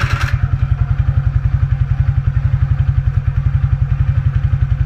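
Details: Suzuki Skydrive Sport 115 FI scooter, known for a noisy "falling coins" starter that the owner works to reduce: brief catch at start, then even low thumping about ten beats a second with no starter rattle, settling to a healthy idle.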